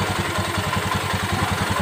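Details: Honda Beat ESP/POP fuel-injected scooter that had total electrical failure and no ignition, after ignition-switch wiring repair; even, quick putter at idle with steady pulses, no stumbling or knocking, running normally.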